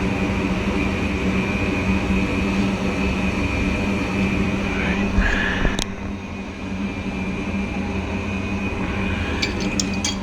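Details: Goodman gas furnace lighting after a gas regulator valve replacement for a no-heat call; steady burner roar over even blower hum with one ignition click, no popping, running normally, though the inducer fan bearings sound loud and squeaky.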